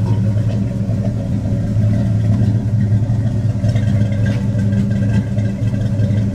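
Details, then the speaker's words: Old dually truck engine that had sat with old gas, just after a new distributor was installed: a deep, steady rumble with an even beat and no knocks or misses, a smooth idle, with a small exhaust leak at one manifold. "Sounds pretty good. Got a little exhaust leak on this side on that manifold."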